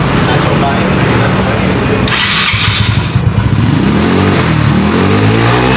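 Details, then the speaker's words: Carburetted Yamaha Mio/Honda Beat-type scooter, hard to start in the morning, heavy starter: on throttle the engine stumbles and sags, revs climbing unevenly with no pull; bogging from a worn carburetor slide needle. "bener ya, di gas ngempos tarikannya gak ada ya. Pas pagi-pagi ini susah dihidupin, dan udah hidup dia starter juga berat ya, jadi bener ya kayak digas juga ngempos ya kayak, jadi berat banget ya kayak."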